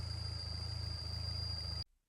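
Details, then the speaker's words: Peugeot 208 GTI 1.6 THP EP6 engine at idle: steady, piercing high whistle over lumpy idle from failed PCV valve diaphragm in rocker cover leaking vacuum; PCV valve whistle. "And that's the sound of failure. Failure of the PCV valve on the Peugeot 1.6 THP"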